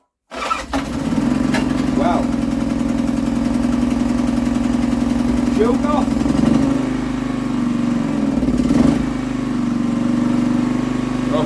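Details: Scrap auction Honda generator, fried pull string, no new parts, pulled on the floor: fires on the first pull and settles into a smooth, even hum with no surging or misfire; normal start and run.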